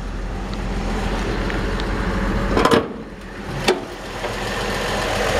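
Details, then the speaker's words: 1964 Chevrolet C-10 short bed pickup with manual transmission, described as mechanically sound: even, low rumble with a steady beat and no knocks or misses, plus a couple of brief handling thumps; the smooth six idles healthily. "So this truck is very mechanically sound. Nice sound, smooth sounding little engine."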